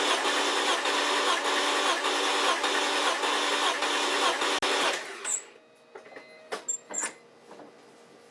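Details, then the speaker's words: BMW E46 M3 S54 compression test, throttle wide open, 10 cranks per cylinder with gauge in spark plug hole: steady, even starter churning with regular compression pulses for about five seconds; healthy uniform cranking, cylinders read 170–175 psi. "you're gonna go full wide open throttle and then crank it the same amount of times for all the cylinders all right let's do 10 cranks"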